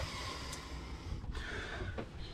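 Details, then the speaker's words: Chinese diesel forced-air heater ("Webasto" type) aboard a liveaboard boat starting up: steady low rumble with airy hiss, normal start-up as it ramps up. "voilà donc là ça se met en route tu vois ça comme je te dis ça va commencer à monter"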